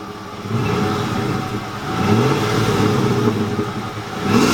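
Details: 2007 Ford F150 5.4 3V V8 after ticking noise was fixed: idle then clean revs rising and falling smoothly, no tick over the engine; healthy now.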